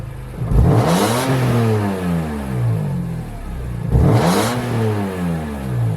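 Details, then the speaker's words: E36 with S54 swap, engine somewhat warm, revved twice to about 4000 rpm: harsh buzzy rasp over the rising note from an E46 M3 headers/cats/downpipe with E36 M3 muffler; owner plans a full aftermarket exhaust instead of welding the mid-pipe. "that's 4000rpm like i personally don't like it i know some people like this but I kind of hate it"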